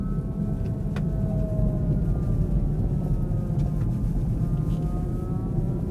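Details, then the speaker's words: Kia e-Niro EV driving in extreme cold around -35°C, battery at about -20 and -13°C: several thin tones sliding up and down with speed under road rumble, a siren-like drive motor whine. "oh did you hear that weird noise oh that motor's noisy as hell sounds like a world war two clarkson siren air raid"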